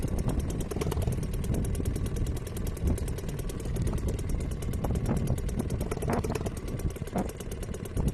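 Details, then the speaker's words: Restored old Seagull 40 Plus two-stroke outboard idling in deep water after repair, just started, warming before throttle. Fast, even tickover, steady beat, no misses or rattles, quiet; normal healthy idle. "Well, it's ticking over beautifully. Let me see if I can just move you down a bit closer. Sounds lovely. It's quiet as well."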